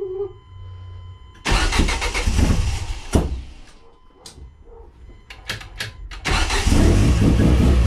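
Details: Turbo Ford Zetec first start after fuel-leak repair, new AN lines, fuel filter, flex fuel and 1000cc Bosch injectors on a retuned ME442 map, 50 psi oil pressure: quick crank, catches and runs steadily with throttle blips; starts and runs fine.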